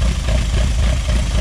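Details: Project car first start after build, throttle bodies nearly synced (air sync meter about 6.5–7 on each), Emerald ECU: deep, even idle just under 1000 rpm with no misses or clatter, sounds healthy; alternator pulley had rubbed on housing.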